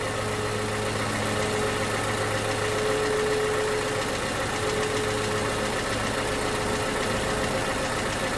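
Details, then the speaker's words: 2011 Toyota Camry 2AR-FE after replacing lifters and rocker arms for stalling and lifter tick: steady idle with AC on, faint light tick roughly four a second over the hum; slight top-end tick, cause not pinned down. "However, I do hear, I don't know how we can hear it, but I do hear like a slight ticking. I do hear a slight ticking."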